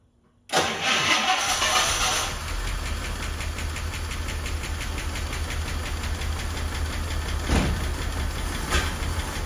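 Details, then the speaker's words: Rolls-Royce Corniche V8 just after its crumbling ignition leads were replaced: it cranks, catches, then idles lumpy and stumbling, a misfire from two leads mixed up out of firing order. "that doesn't sound right n that's just not happy"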